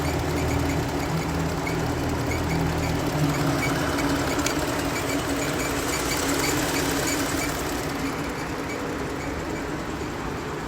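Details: Jeep Grand Cherokee, 35,000 km, under warranty, belt and pulley already replaced without fixing the noise: idle with rapid sewing-machine-like tapping about four per second over the hum; abnormal engine noise at idle, cause unidentified.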